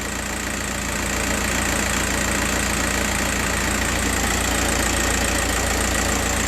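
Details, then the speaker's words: Diesel idle with a rough beat of three or four pulses a second over clatter. The pin 7 injector signal is sometimes missing; pin 5 signal shown. The bad noise comes and goes; intermittent misfire. "Now this is pen five signal and also you can clearly see some bad noise coming from the vehicle. Just hold on. I'm going to show you. This noise sometimes disappear and sometime comes back."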